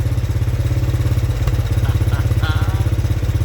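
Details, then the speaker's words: 1983 Honda 200E three-wheeler single-cylinder idling right after new carburetor fitted: steady, even putter at about three beats a second, no misses or stumbles; healthy idle, though it still smokes. "Oh, listen to that. That thing is purring like a kitten. It's amazing what a new carburetor will do."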